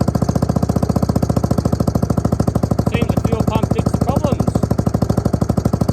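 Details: Suzuki LT250E Quadrunner single-cylinder quad after new fuel pump for fuel starvation and idle problems: steady thump at constant even rate, no surging or misses; running smoothly, fixed.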